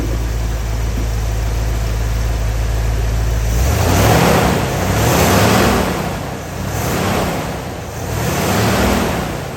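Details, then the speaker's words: Rebuilt Ford 302 V8 in a 1983 F-150 with a mild above-stock cam. It settles into a steady, slightly lopey warm idle with a gentle pulse and no knocks or ticks, and holds 50 psi hot oil pressure, the same as before the rebuild. "So, you know, it idles pretty good. A little bit of a look to it. Reach across here."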